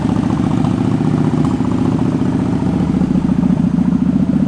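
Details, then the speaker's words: 2003 Suzuki Marauder 800 V-twin, about 15,440 miles: starts right up and settles into an even, loping idle with a steady beat, no misses or sputter; no battery issues, runs well. "Comes right to life. No battery issues, doesn't spit or sputter. It runs pretty well."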